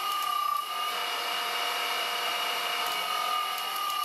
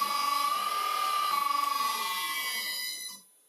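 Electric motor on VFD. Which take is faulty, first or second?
second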